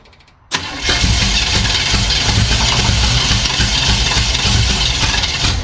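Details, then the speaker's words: 1975 Chevy Monza 2+2 with swapped-in 350 small-block V8, sat about 20 years: fires abruptly and runs ragged, uneven and stumbling; timing light shows no spark, misfire traced to a faulty distributor. "Yeah, I'm not getting any light out of this thing."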